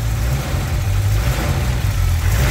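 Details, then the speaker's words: VW Mk3 VR6 neglected and unstarted for at least four years, first run after sitting: deep, smooth, even idle with a steady low rumble and no ticks or stumbles while warming up; normal idle. "and it's even running very nice let it boil up a little"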